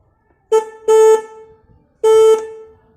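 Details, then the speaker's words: 2016 Suzuki Access 125 scooter with a weak-sounding aftermarket horn, retested after adjustment and reassembly: three clean, steady mid-pitched honks with no rattle or buzz. The horn is working and sounds slightly louder than before. "थोड़ा सा डिफरेंस तो लग रहा है मुझे, बाकी एग्जैक्टली क्या है ये तो थोड़े टाइम चलाने के बाद ही पता चलेगा, लेकिन अभी थोड़ा सा बढ़ी हुई आवाज़ तो लग रही है मुझे इसकी।"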